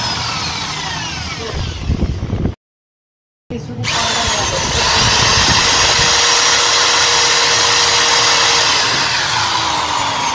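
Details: EID 13 13mm impact drill in hammer mode: the motor spins up to a steady high whine with no hammering rattle. The hammer action does not work due to worn hammer ratchet parts and dried grease inside.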